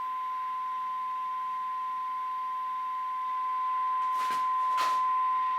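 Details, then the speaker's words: 1954 Regentone Multi99 radiogram during radio alignment: steady pure test tone that swells louder near the end as the top coil core is tuned to peak. "That made a difference. Yeah. Didn't it just? So it was the top one. You could hear the difference as well."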